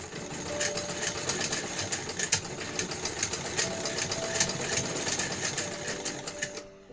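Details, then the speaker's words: Pooja-brand sewing machine after cleaning and oiling inside; it was loudly noisy before. Quick, light, even stitching clatter at about two and a half strokes a second, with no knocking. Runs smoothly; normal running. "अब bill इसकी आवाज भी देखिए कितना change आ जाएगा और machine भी बहुत ही सिलाई भी बहुत अच्छी आएगी और बहुत ही हल्की चलेगी यह देखिए"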